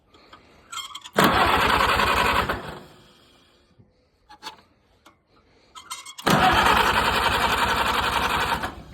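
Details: Farmall 230 petrol tractor, first start in many years, converted 6V to 12V: catches and runs fast in two bursts, never settling low. High idle; carburetor not yet adjusted, owner suspects throttle shaft slop.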